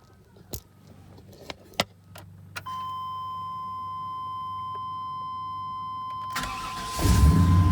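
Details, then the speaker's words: 2000 Chevy 3500 4x4 truck with ignition lock problem: warning chime, then quick crank and catch into an even low idle; owner notes injectors are a common issue; normal engine start and idle. "she runs absolutely phenomenal I've read that injectors are a common problem on these"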